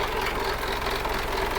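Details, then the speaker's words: Diesel engine at idle after a shop job that reportedly replaced the piston rings, started to check for blow-by. A harsh, rough clatter sits over the idle, with a frying-like noise from under the engine. The noise is abnormal, but its source is suspected, not confirmed. "Ayan, pakinggan mo muna yan, Ingay eh."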